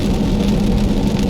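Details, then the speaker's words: 2001 Peugeot 406 with the 2.0 L EW10J4 petrol engine and AL4 4-speed automatic, heard cruising in rain: steady low hum under the road hiss, a worn rear right wheel hub bearing that needs replacement. "The hub, one of the rear wheel hub, especially the one that is making this noise. I think I'm sure is the right side, the rear right side wheel hub."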